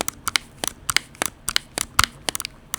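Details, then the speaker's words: Finalmouse ULX Frostlord gaming mouse with thin honeycomb shell, pressing M1 as in gaming: sharp, uneven clicks about five a second, each with a dry crackle; shell flexes and creaks under click pressure, and hard presses mid-paddle also actuate M3. "Oh. Do you guys hear that? So this is me just pretending I'm gaming, right? And I press M1. That's $175."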